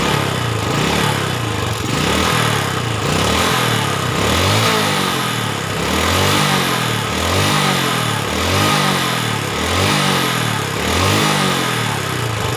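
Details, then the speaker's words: 2010 Yamaha Vega ZR single-cylinder motorcycle, occasional white exhaust smoke: rough uneven clattering knock about once a second from around the cylinder block and head; piston and cylinder scoring from seizure. "Masalahnya adalah mesin mengeluarkan suara berisik seperti gemuruh di sekitar blok piston dan kepala silinder."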